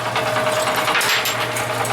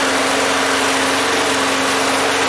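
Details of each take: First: Yard-sale Craftsman walk-behind mower, with a generator also running nearby: small engine buzzes with a wavering, uneven tone and the beat stumbles now and then; running rough. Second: Yard-sale Craftsman walk-behind mower after cleaning and refitting the air cleaner assembly with a clean air filter, tank almost empty: small single-cylinder engine at a steady, unbroken high buzz before tapering off; running smoothly.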